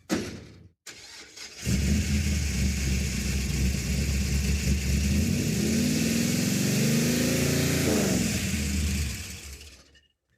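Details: '56 Chevy drag car with 500 hp small block and vacuum advance, after a third ignition box fitted: catches after a short crank, lumpy V8 idle, revs cleanly up and down; healthy running.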